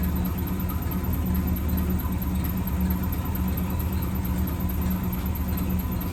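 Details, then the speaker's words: 1963 AMC Rambler wagon 287 V8 at steady idle: faint constant squeak from the top end; left-bank rocker shaft starved of oil after its bolts were mixed up during valve stem seals, rockers dry with metal flakes, metal on metal. "We're going to take this valve cover off the passenger side of the little Rambler and see if we can fix this squeaking issue."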